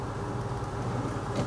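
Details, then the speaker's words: Maytag Neptune TL top-load washer after clutch greasing to cure UL unbalanced-load errors: steady even hum in spin with no earlier grinding while the pump drains water; normal spin and drain. "as you can hear it's running pretty smoothly I think it's pumping some water out now yeah it's pumping the water out you see it"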